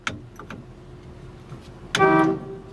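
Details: 1960 Chevrolet Impala four-door, sat about 32 years, first key-switch crank test: a few light clicks, then firm steady horn note about a third of a second; horn works.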